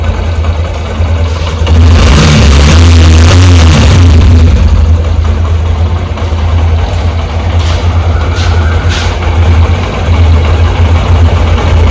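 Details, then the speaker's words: Honda SP125 BS6 single-cylinder after replacing rocker part with bearing to fix top-end rocker noise: even beat, clean rev back to steady idle, no tapping; engine now running sweetly. "तो ये देखते सुन सकते sound कितना मीठा हो गया"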